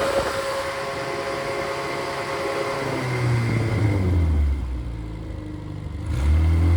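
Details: Rebuilt Triumph Spitfire/MG Midget 1500 four-cylinder with shaved head, flat pistons, 270 cam, enlarged intake valves and aluminium flywheel, 190 psi compression: low, even beat with no knocks or misses, settling smoothly after a blip; healthy idle.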